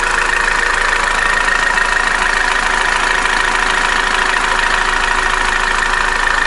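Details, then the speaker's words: Opel Corsa D, A14XER 1.4 petrol, 65,000 km, P0011/P0014 codes, noisy while warming up and may stall hot: fast steady metallic chatter over cold idle; timing chain found slack and loose, needs replacing. "Opel Corsa D двигатель a14x жалоба на шумную работу двигателя при прогреве также двигатель может произвольно заглохнуть на горячую"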